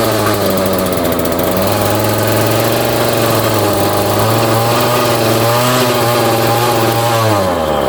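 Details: Homelite string trimmer two-stroke, choke on: revs wander and sag, tending to run away and die; owner suspects a vacuum leak at the intake where mounting holes are stripped, and it runs okay when the air leak is blocked by hand.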